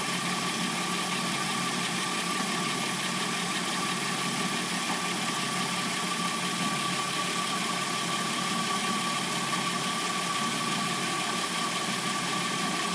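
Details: 2006-09 Hyundai Sonata with replacement engine, warm idle: a thin, constant high-pitched whine over the hiss, noise appearing only when warmed up; timing chain noise is mentioned, cause unconfirmed.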